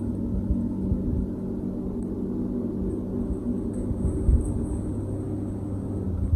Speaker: you can see that the pressurization fans on for the list you can hear it going